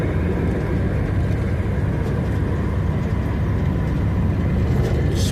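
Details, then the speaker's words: Early MkIV Ford Zephyr with 2-litre V4 and balance shaft, driving on road: even low drone pulling steadily, no knocks or misses over road noise; running smoothly at factory spec. "if you listen to the video on engine, you'll be able to hear balance shaft on it. You can hear it because the fire on one side after one another, and they had to put a balance shaft in for the bit."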